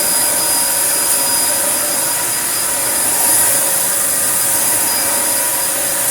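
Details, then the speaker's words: Filthy Dyson DC01 Breakthrough limited edition, 1000 W motor, unused 15–20 years: steady high-pitched whine with strong rushing airflow and a faint rattle of loose glass inside, which suction can't pick up. Runs strong and healthy. "i was expecting this to be rubbish but wow that doesn't that just seem to work okay"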